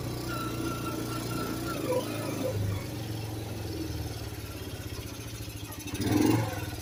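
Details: Kawasaki KLT160 mini Prairie Dog ATV, revived after years sitting: the small single putters along steadily with a clean throttle blip, no knocks or misses. Running really good.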